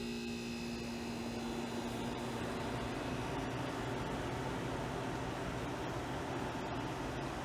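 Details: Vintage air conditioner, assumed 1970s to early 1980s, about 6000 BTU, with a Bendix and running on low cool: even low hum with a steady tone and fan rush, no knocking or rattles, so the compressor runs smoothly and healthy.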